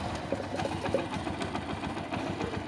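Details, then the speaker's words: Motorcycle after the worn old part was replaced to cure timing chain noise: engine idles evenly with a light, quick mechanical patter and no loud chain rattle, normal idle. "चलिए गाड़ी start करता हूं कितना अच्छा sound बना रहे हो दोस्तों मस्त"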